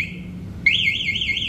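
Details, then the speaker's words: Motorcycle with MP One alarm, armed: starter pressed, short chirp then loud warbling siren rising and falling several times a second; starter blocked by alarm immobilizer, starter won't engage. "Ini kita coba starter. Nah, ini di starter nggak bisa. Nah, dia bunyi ini. Starter nggak mau."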